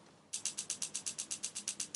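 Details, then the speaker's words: Moda gas fire pit igniter powered by a AAA battery, tested after assembly: crisp, evenly spaced ticks about eight a second with no missed beats; normal igniter sparking at the gas end. "You should hear that faint ticking sound of the igniter on the gas end trying to ignite."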